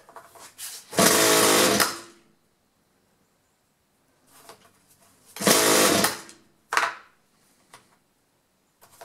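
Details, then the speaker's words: Two-stroke chainsaw that starts for a second then quits, with spark and good compression, pulled on half choke: it fires and revs about a second, dies, then repeats after another pull. Fuel starvation from wrongly connected fuel lines. "obviously we got spark and he said it has spark must be a fuel problem"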